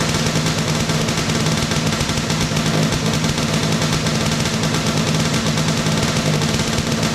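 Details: 421cc Yamaha Banshee two-stroke twin with 39 PWK carbs, first run after engine install, on choke; loud, fast, crackling buzz holding steady several seconds; the rebuilt engine fires and keeps running cleanly.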